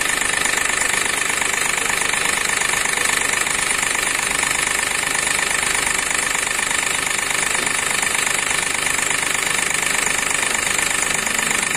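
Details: Accident-damaged Hyundai Xcent with broken intake manifold and rail pressure sensor, code P0193 fuel rail pressure sensor circuit high, stalling within seconds: rough idle with a sharp regular knock about three times a second; sensor and wiring to be checked.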